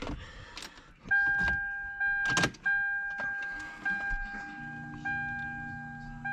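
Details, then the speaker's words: Cold start of a Lexus LS400 with a shrill, steady squeal holding one pitch, breaking off briefly; worn idler pulley bearing, long-standing noise worst on cold starts, before replacing belt, tensioner and idler pulley. "let's go ahead and start it up and I'm going to show y'all I'm let yall hear the noise that it's making it's pretty loud too"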